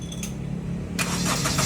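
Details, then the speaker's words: Honda Mobilio after starter motor repair, battery around 8–8.6 volts while cranking: brief steady starter whir, engine catches cleanly and runs evenly; starter now works normally. "Oke , sekarang sudah lancar. Insya Allah, ini aman."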